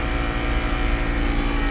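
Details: 2010 Mercedes-Benz GL450, repaired air suspension with new compressor and valve body module: steady low droning hum at a constant motor pitch, no knocks or rattles, as the rear rises. Pumps fast, a tiny bit loud, normal.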